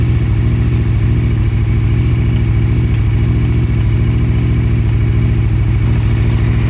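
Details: Aprilia RSV4 RF, engine started for off-season maintenance: lumpy idle with steady low pulsing and a few light metallic ticks; abnormal noise, cause not pinned down.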